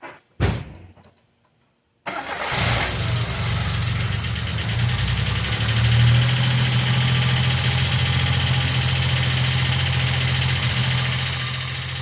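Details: Ticking lifters on a 1995 Geo Metro: engine cranks, catches and settles to idle with a quick steady top-end tick, about three or four per second; B-12 fuel injection cleaner is added to the oil before an oil change.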